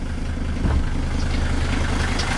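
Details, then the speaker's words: 1978 Mercedes 300D diesel with a new battery, started fine; deep, even diesel clatter at idle with a steady low beat and no knocks or misses, healthy smooth-running old diesel. "but it may be hard to hear i know but the car runs very good you know"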